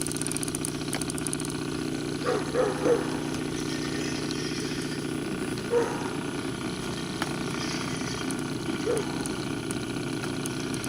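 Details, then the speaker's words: Homemade drip-fed stove burning a fuel oil and kerosene blend in a cast iron pipe with lava rock: steady low roar with a constant hum and a few faint pops as it fires up; burning normally. "so right here she fired up again you can hear a roar and right there as you can see the fuel coming up the tube"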